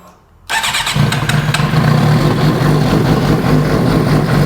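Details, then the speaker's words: 2008 Suzuki GSX-R750 four-cylinder idling just after new CR8E spark plugs: fires on all four but runs slightly rough with an uneven lope; fuel pressure still somewhat low, fuel pump suspected. "Well, sounds like it's running on all 4. A little rough. Sounds like it's running on all 4 now, so you know fuel pressure's still kind of low,"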